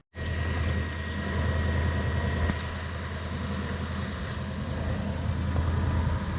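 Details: BMW E36 coupe with a swapped Gen2 Toyota 1UZ-FE V8, first start of the day after repairs and throttle position sensor adjustment: fires at once into a smooth, even low rumble. A normal idle.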